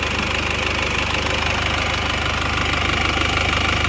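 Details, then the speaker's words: Isuzu Panther diesel, fully warm with thermostat, after a rebuild: steady idle with an even, slightly coarse clatter, a little rougher than other freshly re-ringed engines but much smoother than before and judged normal. "jadi untuk kesimpulannya ini mesin ini sudah beres Sudah normal tapi kurang halus dikit tidak seperti baru tapi ya sudah rata enak"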